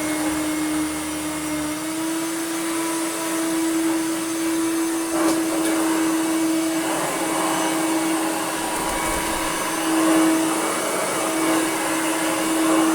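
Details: Hoover Turbomaster Electronic vacuum after new belts and belt-shifter mechanism repair; steady even motor hum holding one pitch, no belt slipping or squeal; reliable on carpet and hard floor, normal running.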